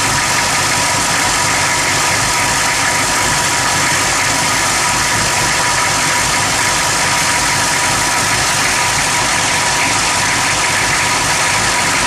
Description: rough idle at motor